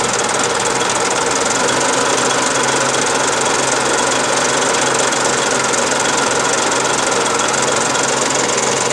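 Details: Daihatsu Charade '85 at steady idle with a fast metallic knocking running through it at even rate and level; internal engine knock of unknown cause.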